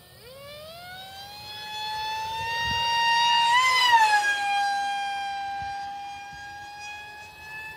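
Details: ZOHD Alpha Strike 620mm plane on a 4S 2200 50C pack flying fast on its maiden: shrill tone climbing then dipping as it passes, audible from far away; loud propeller whine, noisy prop suspected, not confirmed.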